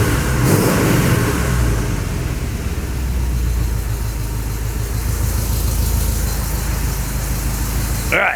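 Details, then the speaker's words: 1986 Chevy C10, new engine, vacuum advance just hooked up, revving: rough raspy puffing chuffing at each pulse over a deep rumble; the bad sound is exhaust leaks, off idle otherwise good. Exhaust leak. "Perfect. I do have exhaust leaks. That's the bad sound, the exhaust."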